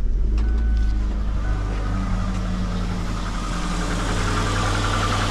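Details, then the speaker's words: Engine idling with a pending cylinder 3 misfire code: uneven, stumbling beat with a tick on each misfire; coil feeds cylinders 2 and 3, and the cylinder 3 spark plug wire is bad, sparking through a pierced boot. "you hear that tick tick tick tick tick tick every time the cylinder misfires now watch this I've I've pierced the boot right here but I did it on purpose because I know that the spark plug wire right here is bad"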